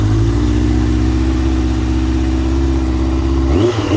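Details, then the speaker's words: Yamaha XJ900 Diversion, carbs upjetted to 102.5, running a bit cold and without choke: a steady, even four-cylinder beat that holds smoothly, then blips cleanly and settles; it runs sweet and healthy after the rejet. "That sounds better. So without choke."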